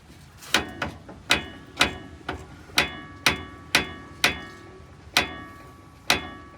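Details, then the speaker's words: Lowered 2004 Chevrolet Astro: a random front-end clang like a ball-peen hammer. Sharp metallic clangs come at irregular gaps, roughly one a second, as the front is bounced. The fairly new shocks or an unseated spring or rubber spring seat are suspected, not confirmed. "he's had a little bit of a clunk in the front end well it's more like a random sounds like a ballpen hammer and it just totally happens at random"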